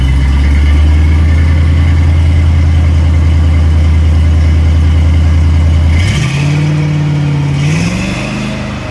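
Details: Ford Maverick automatic after installing and grounding a sensor pigtail (red signal wire, green and black ground) to fix a no-shift fault: steady revs, pitch drops in clean steps near six and eight seconds; normal upshifts after repair.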